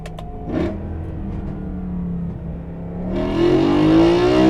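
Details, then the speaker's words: BMW E92/E93 M3 V8 on a drive after cracked glass carbon intake plenum (vacuum leak) was replaced with thinner Lexan, exhaust valves closed: strong pull, smooth rising note, clean downshift blip, louder, no hiss; leak fixed, normal induction. "so my theory was right the glass plenum is louder with the thinner glass it sounds better too"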